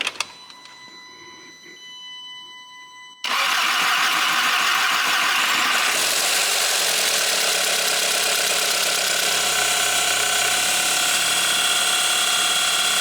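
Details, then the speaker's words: Audi A3 with a junkyard replacement engine after a spun main bearing, first start with the mass airflow sensor and intercooler not yet fitted: engine catches with brief light valvetrain ticking that fades as it settles to idle. "here we go it fired up it made a lot of valve train noise for a second there but then it went away"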